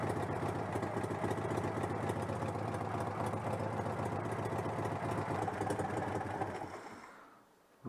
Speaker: allez je vais couper le court circuit mais je suis plutôt content ça l'air de fonctionner parfaitement